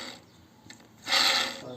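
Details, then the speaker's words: Audi A4 B5 during water pump and accessory belt replacement: old tensioner pulley spun by hand gives a dry, gritty rasp that swells as it turns, worn tensioner bearing, replaced with a new one. "ya vamos a cambiar este rodillo tensor que mira cómo suena"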